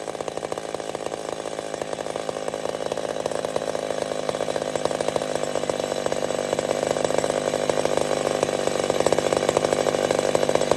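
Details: Old McCulloch Super Pro 70 chainsaw cutting on a hot evening: strong, steady buzz builds smoothly under the cut with no surging. Running right.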